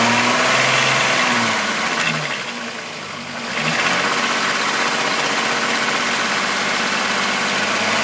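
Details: VW Golf VR6 2.9, 103,000 km, even idle: a constant hissy, scraping rush above the engine hum from the engine front. The owner heard a chain-like rub that got louder after replacing the upper hydraulic tensioner screw. Rubbing noise, cause unconfirmed.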